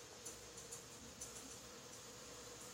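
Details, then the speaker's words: Steam radiator with its air vent in the wrong place, heating with the first three sections hot: soft, steady hiss of air escaping the vent, no spitting or gurgling; vent purging air normally and should shut once steam arrives. "I can still hear the air coming."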